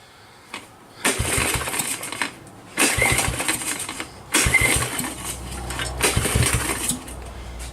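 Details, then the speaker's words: Kawasaki KLT 110 on a stand, carburetor slide found stuck; four pull-start bursts each catch briefly with ragged firing and die, running only on gas primed down the carb. A puff of black smoke and a carboned plug suggest a smoker. "what do you think guys I think she's a runner"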